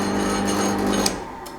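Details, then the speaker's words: Nutool pillar drill press after fitting an emergency stop button: steady, even motor hum that cuts off abruptly and winds down; runs normally and does not restart after an emergency stop. "took me a lot longer than I thought it should about eight hours all together lots of fiddly bits to do but it works normal"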